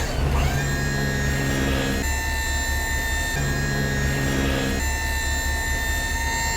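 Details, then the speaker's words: Junk removal truck hydraulic dump bed lowering with engine left idling so the alternator supplies voltage: steady pump whine, pitch dropping clearly as bed comes down, tone differing from raising; normal hoist operation. "So we're gonna bring her back down now. And if you listen, you can hear the difference in tone."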